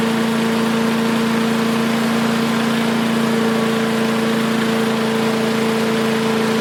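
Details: Craftsman 5 hp wood chipper, revived after sitting 3 years jammed: steady, even drone at one pitch, no misses or knocks; initial smoke, likely WD-40 or PB Blaster, cleared and exhaust ran clean. Running smooth.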